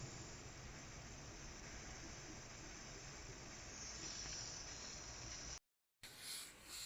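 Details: Pressure canner with its weight on (marble on top) and the lid clamps retightened: soft, steady steam hiss rising gently as pressure builds, then a brief gap; coming up to pressure normally.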